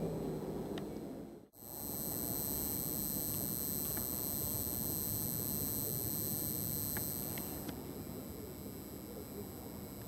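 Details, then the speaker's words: Budget 21-pin DCC decoder in a model locomotive parked on powered track: thin, high, constant irritating buzz whenever it sits on the track, a noisy cheap decoder driving the motor. "you hear that buzzing sound it's really irritating and it's just at the right frequency for you to hear it pretty much where wherever the locomotive is parked as long as it's on the track it makes this noise"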